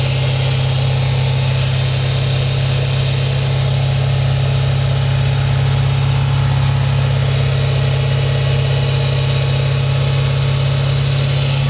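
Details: 2004 Audi S4 4.2L V8 at idle, oil pressure over 100 psi at idle (gauge possibly hooked up wrong): steady low idle with fast regular tapping about three per second over the hum; engine knock at idle, cause undetermined.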